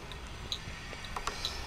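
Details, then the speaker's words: ECGO 5 retro electric scooter, LED turn signals switched on: light, evenly spaced tick about twice a second, like a bus turn-signal sound; normal working flasher. "kemudian disampingnya ini ada lampu sen kalau dinyalakan ada Suaranya kayak suara lampu sen bus tik tik tik tik tik tok ya gan"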